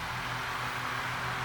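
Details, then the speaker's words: USA-made Lasko fan with its wobble fixed by drilling balancing holes: a steady rush of air over an even low hum with no wobble or rattle, normal running. "it's not as shaky in my hand either it's not really twerking and tweaking"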